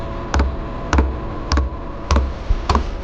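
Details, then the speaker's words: Diesel heater with an external tank in a DIY RV, during startup: the dosing pump ticks a little under twice a second over a low hum while priming, with air bubbles visible in the fuel line before it fires. "Does take a while for the pump to start ticking away."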